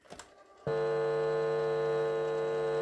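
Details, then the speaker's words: Vintage National Panasonic RX-1490 radio cassette recorder, play pressed with no cassette loaded. Click of the mechanism engaging, then a smooth, steady motor hum with only slight background hum; the transport works fine mechanically. "that sounds good as far as the mechanics go yep it works fine mechanically"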